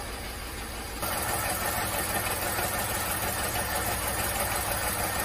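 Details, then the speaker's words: VW Fox/Polo 1.2 6V three-cylinder (BMD) idling with a regular stumble and jerk every few beats; cylinder 2 misfire (P0302), only 5 bar compression; plug, coil, injector swaps didn't move the fault. "The second cylinder immediately counts up the misfires and the engine jerks"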